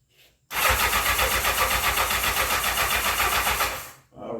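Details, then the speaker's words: 1984 Honda CB700SC Nighthawk in for carb issues; cranked on full choke, and the gas and tank smell old. The starter churns steadily at about four turns a second for three seconds and never catches. No start. "when I was cranking it the first time with the choke all the way open I I could smell it smelled like it was old and uh the gas tank smells old too"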